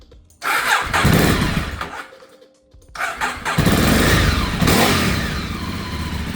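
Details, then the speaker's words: Neglected Ducati 848 first start after Desmo service, timing belts and new stator cover; catches into rough uneven run that dies, refires and settles briefly, oil burning off; engine starts then stalls. "Alright. There we go. Okay, it died. Got some oil burning off."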